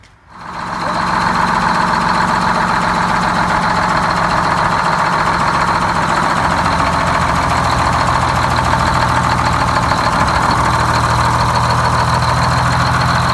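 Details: GM 4104 bus diesel two-stroke, revived after about nine years sitting, with four stuck injectors freed and a bad starter replaced: steady, even idle with busy mechanical patter and a faint whistle on top, running smoothly; normal idle.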